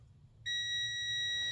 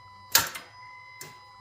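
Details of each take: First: Honda Pilot 3.5L starter that clicks but won't start: silence, then a steady high multimeter continuity beep between the S terminal and ground on the starter solenoid hold-in coil; a closed circuit, so the coil is good. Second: Honda Pilot/Odyssey 3.5L starter tested on a jumper wire with a good battery: sharp metallic clicks from the starter solenoid, but the motor doesn't spin. The solenoid engages and disengages, and its hold-in coil is suspected of not holding.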